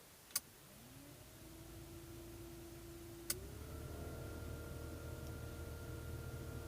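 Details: VAZ 2109 heater blower after the owner cleared debris from the blower motor housing, which had caused a rustling noise: a switch clicks and the fan spins up to a smooth, steady hum, stepping to a higher speed. Normal operation.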